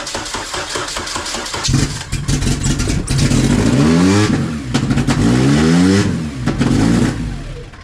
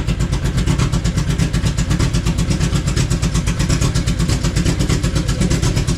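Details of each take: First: Honda Civic wagon on first start with pump gas, stock injectors and an ultra race intake manifold: engine catches but revs keep hunting, rocks hard, with a backfire; manifold vacuum leak suspected, bolts found tight. Idle surge. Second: Honda Civic wagon, engine revived on pump gas, remote map tuning underway, slop still being adjusted: steady even low chugging at idle, regular firing pulses, no knock or miss; normal idle.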